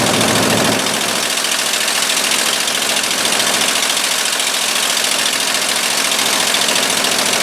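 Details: 1958–59 Ford F600 grain truck, 330 V8, long unrun, first start after the carburetor float was reinstalled. A steady V8 idle with an even, fairly quick pulse and no stumbles or misses. Normal idle.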